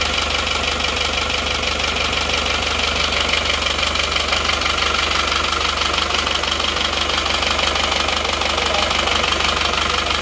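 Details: Isuzu Panther diesel rebuilt with new liners after blow-by, fitted with aftermarket "made in Japan" pistons. It has a harsh, rattly clatter at about three knocks a second over the idle, a rough running note blamed on the poor-quality pistons.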